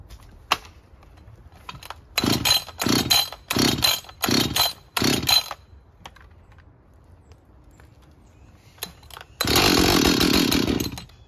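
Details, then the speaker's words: Husqvarna 562XP chainsaw that wouldn't idle and was hard to start, after fixing a bent, leaking decomp valve: crisp throttle blips rising and falling cleanly, then a steady full-speed run; the saw runs fine. "oh seems to run fine I was a little disappointed that it didn't start right away"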